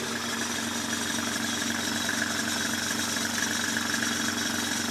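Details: 1995 Mercedes E300, cold engine: uneven, wavering idle beat instead of a steady hum because the idle speed is set too low; it sounds better when idled up slightly. Rough idle.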